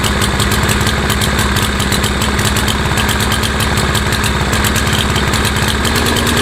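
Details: Craftsman (MTD) mower with a PowerMore 140cc engine that starts then dies: it runs with an uneven loping beat and won't settle to a clean idle. The owner blames the lazy auto choke while the engine was half-warm, not fuel; cause suspected, not confirmed.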